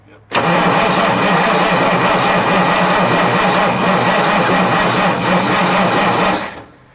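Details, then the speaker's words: 1989 Marmon diesel truck with Jake brakes: steady, even starter cranking for about six seconds, turning over but never catching. It has been cranked about an hour without firing, and the owner suspects a fuel supply problem or a stuck injection rack. "i cranked on this thing for a good hour and i never even got it to try like one time"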